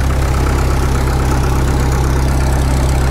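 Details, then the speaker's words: Caterpillar D2 #5U4177 diesel crawler on first start after sitting 20 years, at full compression with fuel on; fuel pressure pegged, oil pressure excellent, no leaks. Steady, even low chug with no knocks or misses; runs clean, normal idle. "oh that didn't start up too bad at all look at that it runs clean fuel pressure Peg o pressure is excellent man I'm liking it that thing runs pretty clean"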